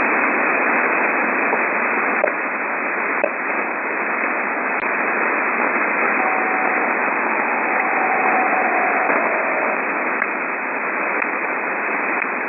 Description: These strange pips, or ticking sounds are random in between 12.9 Mhz and 13.2 Mhz. They appear randomly at varying intensity.